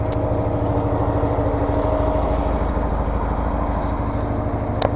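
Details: Case 446 garden tractor with an old Onan twin at about 35°F, just after an oil change and new E3 spark plugs: an even, low idle with a constant drone and no misses, surging or knocking, healthy on a cold morning.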